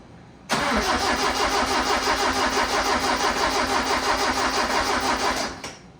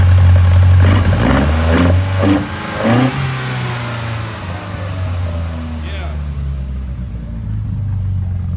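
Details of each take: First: Custom-built engine on carburetors with a straight distributor (no vacuum advance) at its first start, with the fuel pressure regulator being adjusted. It cranks about three beats a second for five seconds and never fires, seemingly sparking right. No fuel reaching the carbs through the manual pumps. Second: Custom-built Toyota four-cylinder with carburetors, velocity stacks, straight distributor without vacuum advance, throaty cam: several clean throttle blips rising and falling, then a steady deep throaty idle; healthy engine.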